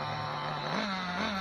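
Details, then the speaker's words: Nitro RC car engine: high, thin, steady screaming pitch that climbs with no burble, bogging on take-off; slow-speed needle set far too lean; lean running. "and it's running lean it's it's way way lean but I don't know it yet I'm just I'm just running I'm just seeing how she goes it's way too [Music] Lan"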